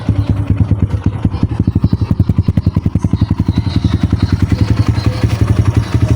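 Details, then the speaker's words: Kawasaki KLX150 after overhaul (new connecting rod and side bearing, cylinder rebored), weak battery: steady even single-cylinder thumping at a raised idle for oil circulation, no knock or rattle; former noise gone. "Pinataas ko lang yung minor para malubricant yung kanyang makina, panday yung daloy ng oil. Ayan. So goods nitong motor mga Diaz."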